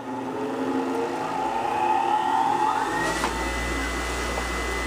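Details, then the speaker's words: Newly mounted bench grinder, secured to base: motor whine spins up then holds clean even hum with almost no vibration; running smoothly. "not bad at all not bad at all I'm pretty happy about that almost no vibration and that's a surprise"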